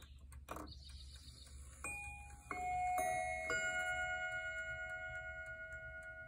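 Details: 1928–1932 Gustav Becker miniature "Mignon" Westminster chime mantel clock, spring-powered three-train movement with very short chime rods: bright high chime notes, several strikes with a quick double tap as hammers bounce; chatter proved nearly impossible to adjust out.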